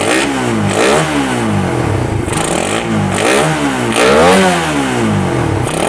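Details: Suzuki Satria FU with a PWL/PE28 28 mm carburettor, cleaned and re-jetted (main and pilot jets) to cure hesitation when throttled, air screw now set; crisp blips, revs climbing and falling cleanly about once a second, no stumble; carb seems right; normal revving.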